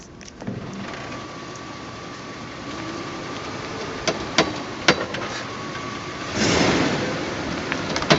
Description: Scary noises coming from front end.